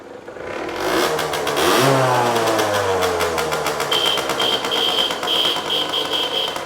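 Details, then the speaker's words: Aprilia SX50 two-stroke bought for a rebuild, electric-started easily: blips and settles into a crisp buzzy ring-ding idle with a steady ticking beep behind it; engine healthy, dash warning lights and speedo glitching. "Literally no effort whatsoever, and sounds like the classic two-stroke."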